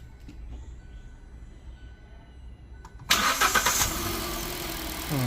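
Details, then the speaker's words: Hyundai i20 diesel after service, common rail, air intake, couplers and battery refitted: starter catches and engine fires at once, settling to a steady even idle with no misses or knocks; smooth, healthy start. "तो engine हमारा start हो गया है, बहुत smooth start हुआ है।"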